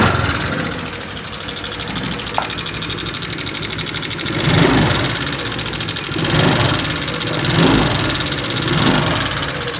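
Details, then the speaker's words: 2018 Vario 125 FI scooter, complaint of rough engine sound, idling during a light check before any disassembly: a fast, light ticking over the engine note from the front of the engine. Valve tappet tick. "Coba kita dengarkan suara yang ada pada motor Vario 125 FI ini tahun 2018 pada suara motor Vario 125 FI ini terdengar suaranya menggelitik ya teman-teman gelitik-gelitik seperti itu"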